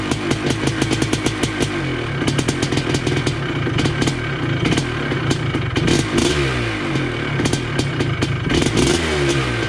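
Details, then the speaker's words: 1980 Honda CR250 Elsinore two-stroke, restored, first start in a decade, primed with gas down the cylinder, carb not yet adjusted: rapid crackling pops blipping up and settling with throttle, firing cleanly; healthy two-stroke running. "She's alive. I don't know if it'll stay idling here. I haven't really played with the carb yet, but she's alive. My God, sounds good too."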